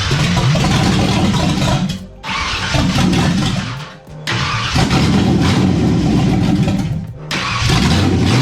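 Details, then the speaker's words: Freshly rebuilt V8 in a budget daily-driver build, first start in years with timing set around 14–15° initial, fires and runs on throttle but sags and nearly stalls between blips; won't hold idle, usually a vacuum leak. "it's not idling, which usually means vacuum leak."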